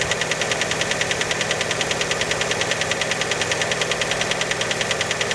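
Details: Fiat Panda cold idle just after start: sharp, very regular ticking knock, roughly 200 a minute; clear engine knock, source not pinned down, many suspect piston skirt.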